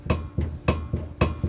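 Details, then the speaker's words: 2003 Honda Accord EX V6 6-speed at 876k miles, rear suspension; rocking the wheel top to bottom gives a sharp metallic clunk about every quarter second, rear upper control arm ball joint worn out on both sides, to be replaced. "you can hear the clanking so that ball joints shot so i'm going to replace the ball joint on both of those"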